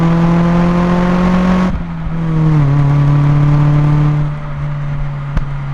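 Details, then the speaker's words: Mazda Miata with Flyin' Miata exhaust, mic on the exhaust, accelerating onto a highway: deep, even note pulling hard, clean gear change near two seconds then steady drone, no rasp or rattle; healthy exhaust. "Muffler and finally here's how it sounds with a pull onto a highway with the exhaust miked"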